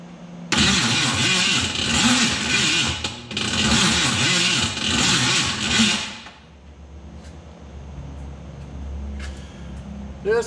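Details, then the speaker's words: 1968 Mercury Cougar, first start attempt after five years of sitting: slow, labored cranking at about one and a half turns per second, never catching; the starter is dragging, and the owner suspects a stick-shift starter was fitted instead of the automatic type. "not going to work okay guys it's become pretty clear that the there's some problems getting the Cougars started here it's obvious that the starter is dragon"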